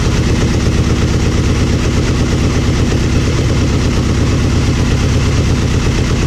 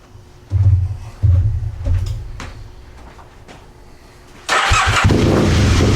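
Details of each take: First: Aprilia Mille R V-twin idling after fuel pressure regulator and adjuster removal and cracked vacuum line repair: steady, even loping thump, no stumbles or misses; fuel pump whines until pressurized, then sounds fine, normal idle. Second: Aprilia Mille R with fuel pressure regulator removed, fuel pump on: a few catches and short revs, then fades and dies; owner suspects fuel pump not holding pressure but is unsure, stalling after revving.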